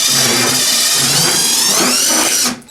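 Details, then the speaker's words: Whirlpool heavy-duty commercial coin-operated top-load washer that was noisy and not agitating or spinning, clutch removed, transmission driven by hand: harsh grinding with a shrill whine, then cut-out; stripped gears inside the transmission. "I'm getting a horrible sounding transmission sound, so something in the transmission has gone defective."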